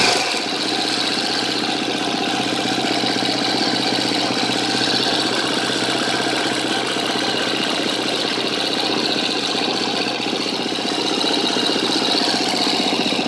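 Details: 2013 KTM 250 EXC-F Six Days idling: fast light ticking steady over a busy single-cylinder idle from the engine top end; owner suspects a bad cam tensioner, unconfirmed.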